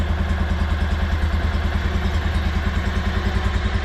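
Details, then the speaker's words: 2016 Kawasaki Mule 610 after badly needed valve adjustment, in neutral, not yet warmed up: even low thumping idle at constant rate, no top-end ticking or clatter; much better than before, idle slightly high. "yeah that sounds way better than what it did well it sounds and runs good"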